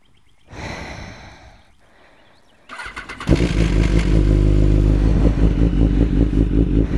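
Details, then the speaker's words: BMW S1000RR cold start early morning on the first spring ride: the engine settles into a loud lumpy idle with a light metallic clatter, which the rider calls chain rattle. Cause not confirmed. "Listen to that chain rattle."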